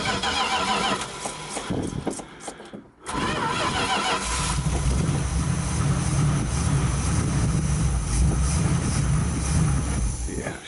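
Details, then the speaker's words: 1973 Dodge D100 with an earlier poor fuel supply: a short crank, a pause, then it fires and holds a steady, even idle; fuel is flowing well and the fuel pump is good; normal start and idle. "flowing really good in there fuel pumps good that's good news"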